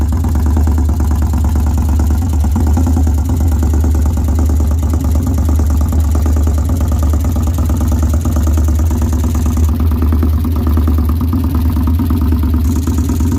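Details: 2013 Victory Highball V-twin idling with a heavy low thump and a faint clattering tap through the beat; engine knock, origin unknown.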